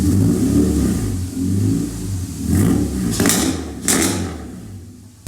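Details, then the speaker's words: K24A2 swapped EK Civic hatchback after sitting about three years: engine picks up cleanly and settles with an even, steady note, no knocks or rattles; a smooth, healthy rev. "Ooh! Listen, she auto smooth. Dude, K Series, you just can't go wrong with K Series."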